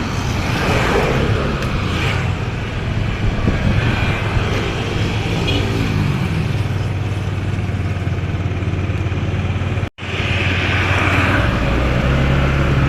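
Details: Yamaha NMAX scooter riding after replacing the primary driving gear and bearing: even low drone with no rising transmission hum at the 20 km/h speed where the noise used to appear; normal running.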